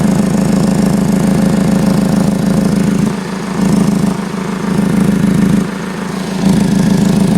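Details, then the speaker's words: 2015 Ford Focus at idle, heard from underneath: raspy puffing hiss over the engine, fading and returning every second or so; exhaust leaking at a flex pipe that was probably welded before, which needs replacing. "you hear the difference in the tone of the exhaust leak? Kind of gone, and that was back."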